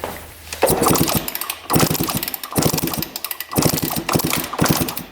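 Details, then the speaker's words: Freshly rebuilt 1993/94 Suzuki RM125 two-stroke kicked over: even chuffing compression pulses but never fires; plug black, appears running rich, correct BR9 plug, spark good and consistent; cranks but will not start. "let's kick it over a couple times and see if gas comes out here maybe we're just getting too much gas to it feels really smooth let me kick it over with my foot"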